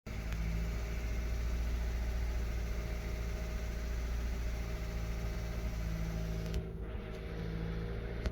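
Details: 2013 VW Golf Mk7 1.4 at idle, logging random/multiple misfire codes P0300, P0301 and P0302 that don't return after clearing, with an oil smell after long drives: low, slightly uneven rumble suggesting an intermittent misfire, no single cylinder standing out.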